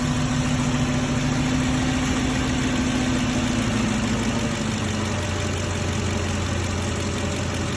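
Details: 2006 Ford F-350 with used 5.4L 3V V8 just installed, true first start: smooth, even idle settling slightly lower after a few seconds, no smoke, no ticking or knocking; normal idle.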